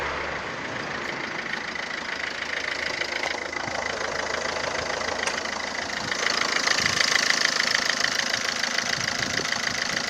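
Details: 2007 Ford Fiesta 1.4 TDCi 69hp diesel at idle: a fairly regular tick-knock about four times a second over the diesel clatter. Abnormal engine knocking, source not identified.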